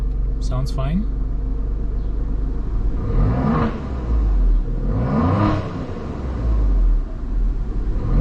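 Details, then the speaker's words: Alfa Romeo Giulia Quadrifoglio just after spark plug replacement: deep, even idle rumble with a couple of quick throttle blips that rise and settle cleanly, no excessive vibration. Normal idle. "Let's see if we idle fine. No excessive vibrations."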